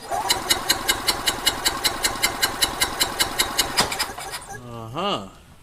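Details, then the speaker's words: Gas EZGO TXT golf cart engine running rough and skipping, compression test: driver-side cylinder about 130, passenger-side cylinder cranking at about two and a half beats a second shows no compression. "we going to move to the passenger side cylinder see what happens ah look at there look at there no compression let's try it"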